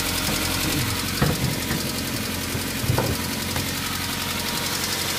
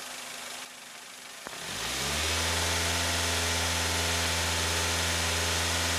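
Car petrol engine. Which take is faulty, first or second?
first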